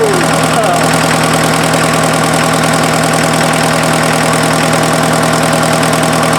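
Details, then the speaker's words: Freshened-up diesel in an offroad Mazda truck just after first start, following an odd sound the owner suspects came from the belt being one tooth off: it settles into a steady, even clatter with no misses or knocks. No coolant smoke; normal diesel idle. "that's a good sign sounds pretty good"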